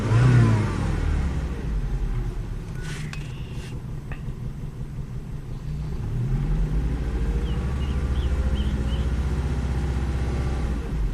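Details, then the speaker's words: Volvo XC70 revving after OEM VVT solenoids replaced aftermarket ones that set a camshaft position performance code: smooth, even rising note with no stumble, rattle or misfire; the OEM solenoids fixed the code. "so that's proof right there that the OEM solenoids fixed the camshaft position um performance code"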